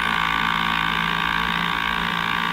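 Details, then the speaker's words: Lohmann 18cc two-stroke variable-compression diesel moped engine, first run after rebuild with new piston, preheated: runs slow and steady with even buzzy drone, no misses or knocks; healthy, extremely slow. "oh yeah it is extremely [Music] slow but better than the other one"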